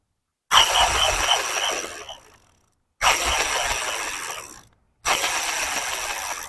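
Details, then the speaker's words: New Ragusa R100 thread-type sprocket freewheel spun by hand after chain lube was applied to dilute the hardened grease. Crisp, even, fast ratchet ticking coasts down smoothly. The earlier drag and weird noise are gone, so the freewheel now runs smooth. "nawala na yung sabit na sinasabi ko. Smooth na siya at tuloy-tuloy na yung pre-wheel. Kanina parang pumipigil eh."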